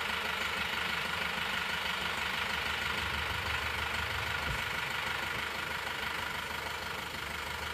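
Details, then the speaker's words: Isuzu Panther Touring New diesel at idle, heard at the exhaust after an overhaul (rings, head gasket, seals, clutch, nozzle) that fixed a rough tak-tak idle and dipstick smoke: steady, smooth idle with no tapping or misfire. Normal. "Ini adalah suara mesinnya setelah mesin diperbaiki. Jadi getarannya sudah tidak seperti yang kemarin. Sudah tidak suara tak-tak ya."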